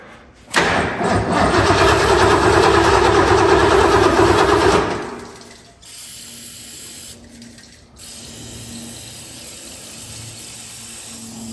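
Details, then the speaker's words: 1966 Lincoln Continental unstarted for over 2 years, cranked with carb cleaner as starting fluid: steady cranking at about four strokes a second that never catches or pops. No spark suspected; a plug is pulled to check. "does not seem like we getting spark of any kind so we're just going to pull a quick plug"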